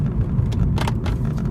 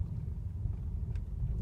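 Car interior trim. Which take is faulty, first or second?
first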